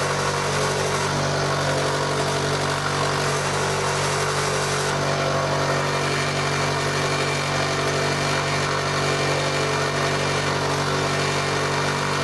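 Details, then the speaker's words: Mini lathe running while milling; the top cover, which has an interlock switch taped because it pops open, vibrates and rattles. A steady motor hum with a constant buzzing rattle on top: rattle from the loose top cover. "yeah it rattles the cover on the top i need to uh look at that and see if there's something i can do to it stop it because it is annoying"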